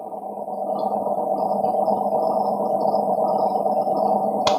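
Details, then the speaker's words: Chest freezer not cooling, blamed on low household voltage: low steady hum for about four seconds with the fan running, then one sharp click as the overload protector trips; compressor stalled and seized. "Nah, di sini sudah ada suara pletek ya, seperti itu ya. Tetapi kipas fan dia masih hidup, seperti itu. Nah, artinya kompresor ini ya, kompresor ini dia macet, seperti itu ya, macet."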